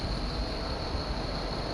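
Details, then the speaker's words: 1998 Suburban that sat at least 8 years, engine swapped to a crate engine roughly 10 years old, first-ever start: a steady deep rumble with an even note and no ticking or knocking, idling smoothly while warming up. Normal idle. "it's uh sounding pretty good i'm gonna let her warm up and see how it does"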